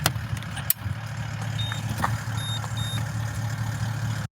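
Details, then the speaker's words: Caravan charger alarm while driving: three faint evenly spaced high beeps over the driving drone; display showed charge over-voltage, and the owner suspects the roof solar panel. Cause not confirmed. "don't know if you can hear that beeping but it's bloody [Music] frustrating"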